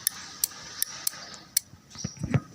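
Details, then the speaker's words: Honda Beat motorcycle starter relay bench-tested on 12 V adaptor: sharp distinct clicks, about five in 1.5 seconds, each time power applied, same with polarity reversed; normal relay clicking. "seperti itu bunyinya dibalik pun tidak masalah tuh sama nah ini tandanya normal tandanya masih bekerja"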